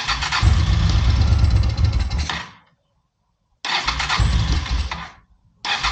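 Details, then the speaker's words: Honda PC800 Pacific Coast, likely not started since about 2007–2008, air cleaner off: it starts on starter fluid, runs roughly for two seconds, fades, then fires again. It runs only on starter fluid. "Get a little bit of starter fluid. Thing started up. I can't believe it. Was not expecting that."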